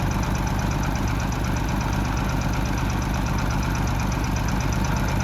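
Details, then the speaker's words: Oliver 70 tractor at idle during revival, oil freshly changed: even, lumpy idle with a faint quick chirping tap each turn and no knock; owner suspects the upper end, rockers possibly needing readjustment, not confirmed. "can you hear a little chirping noise like a you I don't know you come up close to the engine and no knock you kind of hear that little tap I'm not sure if that sounds like upper end like it's rocker I probably should have readjust those again"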